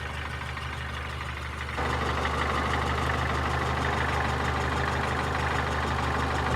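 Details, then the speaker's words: Renault Logan with a K7G/K7J engine that has knocked at idle for about five years: a steady light knock, roughly three a second, over a low hum. Camshaft bed and rocker-shaft bolts are intact; the source is unknown. "Renault Logan K7G мотор постукивает мотор уже на протяжении, наверное, 5 лет."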